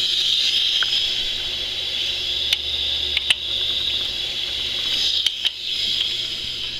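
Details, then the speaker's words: BMW R90/6 Airhead boxer with 70,000+ miles, engine stopped, leak-down test listening at the crankcase. Only a thin steady air hiss, very minimal. Leakage reads under 10%, about 5%, despite a slightly leaking hose; rings are sealing well and need no replacement. "very very minimal so I'm happy with what the gauge says I agree with that we're at uh less than a 10% leaked out leakage"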